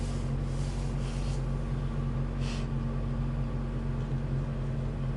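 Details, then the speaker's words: Car warmed up and running on gas at about −15°C, a month after its power steering fluid was changed to Mobil 1; it previously whined below −5°C. Steady low idle hum; the pump whines briefly, then is quiet when turning the wheel, so power steering operation is normal. "немножечко побудило и все закончил [музыка] когда крутишь руль ничего не шумит"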